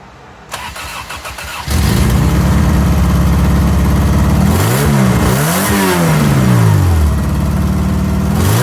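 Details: 4A-FE swapped 4WD Toyota Tercel wagon, test fire after replacing a broken timing belt; cranks briefly, fires at once, steady even run with a couple of smooth blips; normal running, sounds healthy.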